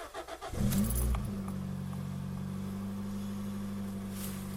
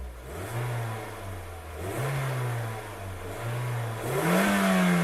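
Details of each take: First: Toyota Yaris first generation 1.5 TS: after a sudden bang while driving, a loud deep raspy rally-like drone from the rear, worse on acceleration and very annoying from 80–90 km/h; exhaust leak at the rear silencer, which is replaced. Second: First-generation Toyota Yaris 1.5 TS after rear silencer replacement and a provisional exhaust repair: several clean throttle blips rising and falling smoothly, no rasp or blowing. The earlier rally noise is gone; normal exhaust note.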